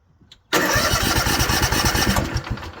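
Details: Cub Cadet Z-Force SX60 mower, Kawasaki FR730V engine rebuilt about 14 months ago, sudden power loss while mowing: starter spins at an even quick chug with no firing during spark testing; cranks, no start.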